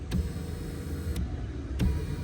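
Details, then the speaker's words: 2014 Kia Cadenza passenger-side power seat moving forward for comparison with the grinding driver side: a low, even motor hum with a few light clicks and no grinding; here the black tube does not touch the rail. "So smooth, huh?"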